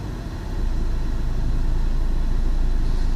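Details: Peugeot 607 2.2 HDi with Bosch 0445110036 injectors: steady low diesel rumble with a rough, uneven beat over the firing pulses; faulty injectors.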